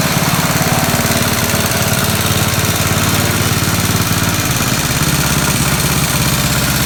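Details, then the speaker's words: 1969 Locke reel mower single-cylinder engine, freebie that sat in a barn, running after carburetor work, not fully tuned, still drips a little; loud steady chatter at even speed without stumbling or surging. Normal running. "so it runs pretty good uh turn the gas off just because i don't trust it overnight still got a little drip"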